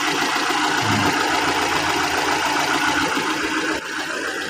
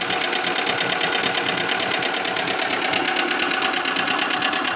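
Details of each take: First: 2002 Kia Visto petrol engine after repair of a broken part and stripped bolt, belts refitted and valves adjusted: smooth, even idle with a steady beat and no tapping, far quieter than when the fault occurred; normal idle. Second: 2002 Kia Visto engine developed a rough noise after being push-started because it had sat parked a long time with a weak battery: fast, even metallic ticking clatter over the idle; valve train rattling from a loose rocker shaft.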